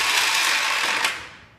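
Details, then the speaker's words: Yamaha XS650 makes a harsh, high-pitched ratcheting grind while cranking after a bendix gear fix that cured free-spinning; the bike starts and runs fine, and a starter problem is suspected. "I'm trying to figure out if anybody could tell me what this noise is sounds like something's wrong with the starter"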